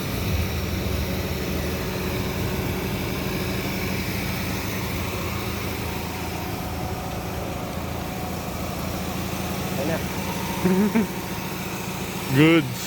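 Steady, even idle with a low constant hum and no misses or knocks; a few background voices, engine sounds healthy.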